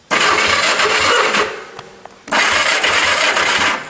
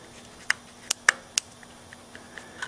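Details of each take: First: Honda go-kart engine with freshly sanded points, key on, cranking to check for spark: two bursts of fast, even cranking at about four beats a second, no firing yet; starter spins the engine freely and spark is confirmed. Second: Honda engine on a go-kart with points and condenser ignition, engine stopped, points jumped with a screwdriver: sharp, irregular spark snaps several a second; spark is present, so the dirty points are to blame.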